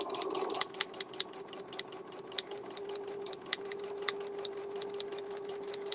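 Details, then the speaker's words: Sewing machine with brand-new needle stitching painted fur cosplay fabric; sharp pops with each stitch over steady hum as needle punches the painted surface, not a dull needle; needle popping through coated fabric. "What you're hearing is the paint or whatever this is on this fur material. You're hearing"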